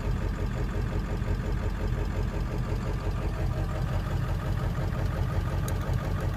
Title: Rough Idle